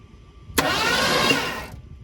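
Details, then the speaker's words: 1972 Ford F100 that sat for decades, seized engine freed, new battery and plugs, cranked by remote start switch: short harsh rasping burst for about a second, then dies. Brief rough firing, no start. "That doesn't sound too good. Let's try that again."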